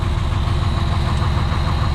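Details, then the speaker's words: Freightliner truck idling after repairs, warning light off and buzzer no longer sounding (owner suspects a random failed sensor): steady even diesel rumble, no knocks; normal idle. "I'm really finding myself asking you guys multiple times, do you hear that? Neither do I, and that's a good thing in a Freightliner."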